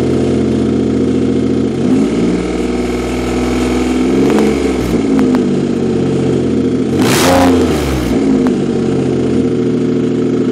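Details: 2007 Nissan Quest minivan running with no exhaust or muffler: a loud open-pipe bark, revs climbing and falling cleanly before settling to a steady idle; the engine itself sounds healthy and runs great.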